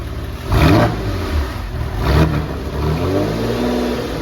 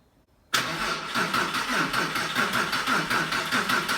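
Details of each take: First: Porsche 911 (996) after restoration, throttle body connector plugged back in: two crisp throttle blips rising and falling cleanly, then a steady even idle; engine now runs normally. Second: Porsche 911 (996), first start after roughly four years of restoration, weak battery: starter churns steadily about two turns a second but engine never catches; cause was an unplugged throttle body connector.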